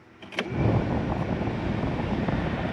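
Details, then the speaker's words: 2010 Chevy Malibu, new cabin blower motor installed; not all speeds work yet, resistor still to be replaced: steady rush of air over a low fan hum, no squeal, tick or rattle; blower spinning normally. "sorry for my rant but it still doesn't work all the way and we got flow maybe you can hear that"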